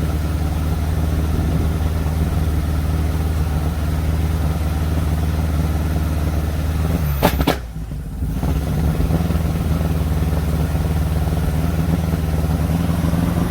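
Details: 1957 Ford Popular 103E old sidevalve engine misfiring: low, uneven idle with an irregular stumble in the beat and a brief dip midway; cause suspected, not confirmed.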